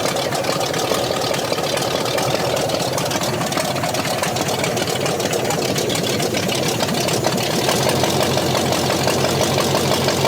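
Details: Scrapyard 360 V8 Jeep Cherokee, just started after long sitting, not yet warmed up: uneven loping idle rising and falling a couple times a second; owners wonder if it runs on all cylinders or has an aftermarket cam. Lopey idle, cause unconfirmed.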